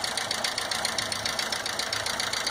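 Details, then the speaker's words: Valvetrain tapping at idle on a 2012/13 VW Gol G5 1.0 8V EA111, first taken for a collapsed hydraulic lifter; teardown found oil leakage and a badly worn, damaged camshaft and worn bearing caps. Fast, even light ticking over a quiet engine hum. "se você reparar aqui hoje vai a qualidade do comando de válvulas está bastante esticado bastante fundo bastante danificado"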